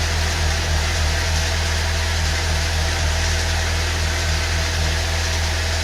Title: First start after exhaust valve replacement Saab 9.3 2.0T 2006 b207r